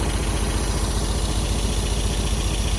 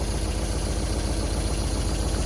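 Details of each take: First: 1974 MGB four-cylinder parked 30 years, hot-wired and revived. Lumpy idle with a loose, tinny rattle riding the exhaust pulses at the back. Loose exhaust pipe rattle. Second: 1974 MGB parked 30 years, hot-wired, with new points, rotor and plugs and the carbs adjusted. Idles on its own, smoking, with steady low idle and soft even valve tapping on top. Normal idle with light valve clatter, probably normal.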